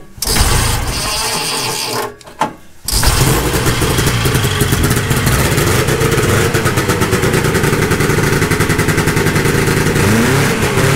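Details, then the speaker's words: Rebuilt 1972 Ski-Doo Nordic snowmobile, cold start after a week sitting, with a preliminary carburetor adjustment and fuel visible in the return line. It cranks, stumbles briefly, then settles into a fast, even two-stroke rattle; healthy. "right now we're just going to do the cold start and yep see uh if we're pumping gas like we should"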